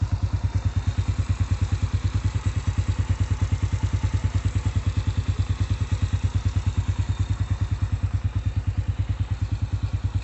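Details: Honda Astrea/Supra single-cylinder idling after repairing a loose camshaft bearing seat without machining: steady, even low thump about three beats a second, no top-end ticking or rattle; engine now runs smooth and quiet.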